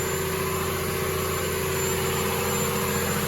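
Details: Diesel fire pump during weekly half-hour test run, recorded in the loud pump room: loud, steady diesel drone with constant pitch and no knocks or surging, running normally.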